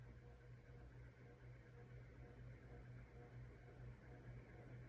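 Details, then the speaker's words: 1990s SMC ceiling fan, previously dead, after cleaning dirty pull-chain switch contacts, running on low speed with a visible wobble: quiet steady motor hum with soft slow blade pulse; runs normally, average airflow. "It's not as bad as I was expecting it to be. Airflow is, average for this type of fan."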